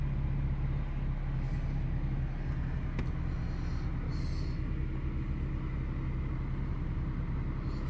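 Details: Ford with P0300/P0302 misfire codes and check engine light, after clearing codes: steady even idle, smooth low hum, no stumble or skipped beats; cylinder 2 misfire appears cured.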